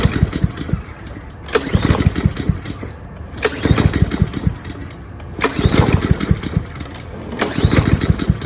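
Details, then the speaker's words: Cub Cadet SC-700H mower, Honda GCV190 engine, run dry to prepare for winter storage after a large backfire: engine surges and sags about every two seconds with sharp pops; sputtering and stalling as carburetor runs out of fuel. "okay it's ran out of gas in the in the uh carburetor so now this is the last day we're going to listen to this engine for 2023"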